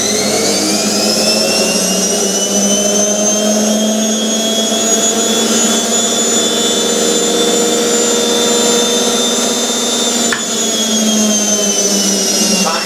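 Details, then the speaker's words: Hotpoint 9530 washing machine after carbon brush replacement, rinse hold into spin: steady even motor whine, smooth pitch, no scraping or rattling, louder than before; normal motor run. "that's loud it's louder than it was before great"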